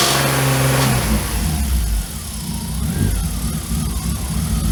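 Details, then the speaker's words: BMW E34 with freshly rebuilt S52 engine and aftermarket 280 camshafts: uneven clattery ticking over the idle and blips, coming from the cams rather than the bottom end; valvetrain noise persisted without accessory belts and with changed cam timing. "Now you might listen to this and think, oh, the engine rebuild, something went wrong, something failed."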